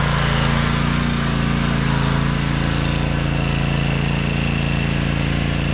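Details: 2012 Toro Timecutter SS 5000 Kawasaki twin after fixing the rockers and adjusting the valves, engine cover refitted: steady, even drone with smooth low beat and no misses or ticking; normal running on both cylinders.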